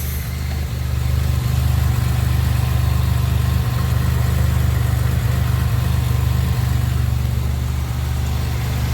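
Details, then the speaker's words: 2007 Pontiac Grand Prix first startup after FSIC rebuild and new heater core: smooth, steady even idle with no misses, intake air temp 66, slight exhaust leak noted before warm-up. Normal idle. "Man, running great. Oh yeah, she's running great."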